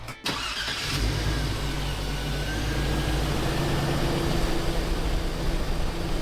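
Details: Engine with 250,000 miles of neglect after maintenance, with the belt refitted: starter whirs briefly, engine catches at once and settles into a steady, even idle with no knocks, squeals or belt chirp; charging voltage rose from 12.6 to 14.55 V.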